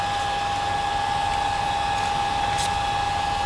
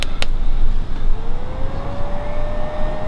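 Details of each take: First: New replacement cooling fan on the MPT-7210A solar charger, just plugged in: steady, even whoosh of air with a clean constant hum and no rattle or ticking; running smoothly and healthy. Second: MPT-7210A solar charger cooling fan; the original failed fan, suspected bearing, is loud and whiny: a thin whine climbs as it spins up, then holds a steady pitch over the background rumble. The replacement fan is much quieter.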